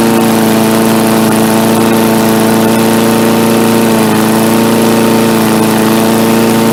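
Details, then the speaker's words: MTD Yard Machines 3.75 hp 22-inch push mower, carb only cleaned: steady single-cylinder drone at constant speed with no misses, surging or rattles; running smoothly. "So yeah, seems like it works just fine now. So now I got another mower."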